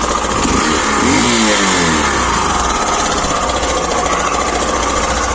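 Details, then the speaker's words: Hero Glamour i3s BS6 motorcycle, cold start after sitting unused for many days: loud busy idle with rough, uneven mechanical clatter and a rev blip; dealer later said the tensioner needs changing. "यह देख guys कैसा अजीब हो गया sound ये सुन रहे sound अजीब हो गया साउंड पता नहीं क्या हो गया"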